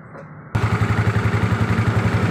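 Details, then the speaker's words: Yamaha Mio scooter CVT clunk, engine started: coarse rhythmic clunk about nine times a second over the idle, very audible when throttled; caused by loose roller housing and worn rear pulley bearing. "Oke jadi seperti itu guys bunyinya dia bunyi kasar kalau di gas sangat terdengar bunyi seperti tadi"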